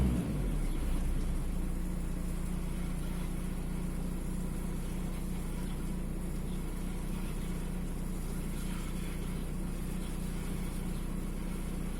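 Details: VW 1.9 TDI AXR diesel with a rough, shaky idle, a deep, slightly uneven chug; fault code 16688/P0304, intermittent cylinder 4 misfire.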